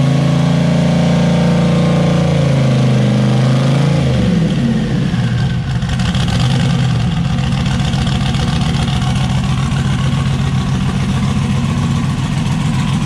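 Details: Zodiac S10 after fire-up with turbo setup, wideband not yet hooked up; uneven, stumbling exhaust note as revs rise and settle, missing at certain speeds then clearing.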